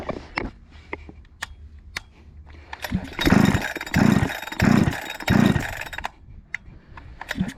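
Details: Husqvarna 288XP chainsaw, recently rebuilt with a new cylinder and piston, after the high-speed screw was adjusted. It screams up in four short bursts, revving hard with no four-stroke burble at the top, meaning it is running very lean and risks scoring the cylinder.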